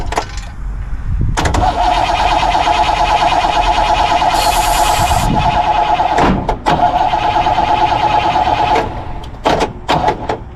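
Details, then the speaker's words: 1964 Pontiac Grand Prix 389 V8, unrun for years, after finding rusted rotor/cap and setting points: steady cranking with an uneven chug that almost catches but never fires; cranks without starting, points air gap suspected wrong. "i'm gonna say that's not good enough so uh it's definitely got to work let's pop it off and we'll uh adjust some air gap into it"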